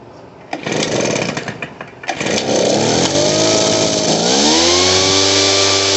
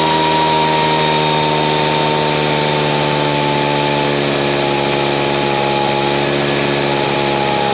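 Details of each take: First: Poulan Pro PR46BT backpack blower before carburetor adjustment: two-stroke surges unevenly near idle, tries to stall, and bogs without throttling up when given gas; carburetor needs adjusting. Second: Poulan Pro PR46BT backpack blower with an old carburetor, after adjusting to stop bogging and turning the idle speed up: steady even two-stroke buzz at constant pitch, idling and running smoothly.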